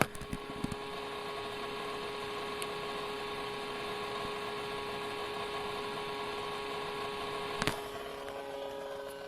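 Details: Acer Predator 17 laptop under heavy CPU/GPU load, recorded at rear vents: faint steady mid-pitched tone over soft fan hiss, coil whine and electrical discharge rather than mechanical, described as inconsistent grinding; cause was a faulty motherboard, replaced.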